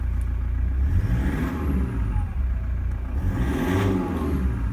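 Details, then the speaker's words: Cold Toyota Prado diesel after injector replacement and remap, revved in the workshop: smooth rise and fall, clean even clatter, no knock; judged nothing wrong with engine or injectors. "we've got a cold engine that's clean revving in my opinion there's nothing wrong with the engine or the injectors"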